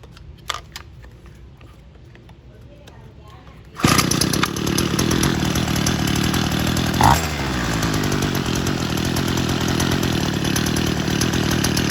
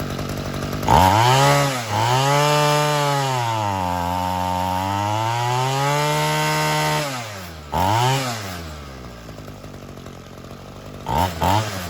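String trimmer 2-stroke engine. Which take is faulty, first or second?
first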